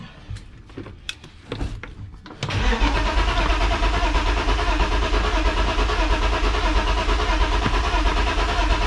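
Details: BMW E36 sedan cranks but won't start, clutch pressed: starter click, then steady churning crank of about ninety pulses a minute without firing; fuel pump audible, owner suspects a fuel problem.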